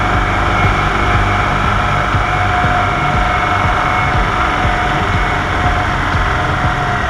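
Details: 1998 EZ-GO TXT gas golf cart, bought as "does not run", after the engine repair: steady, even single-cylinder drone with no knocks, misses or surging; the cart engine is running smoothly.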